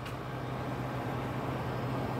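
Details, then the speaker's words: RV 4850 BTU air conditioner powered through 2200 W pure sine inverter: steady low compressor hum under the fan's airy rush, no knocking or rattling; normal compressor running. "the air-conditioner right there hey you hear that compressor running in there that's no games being played"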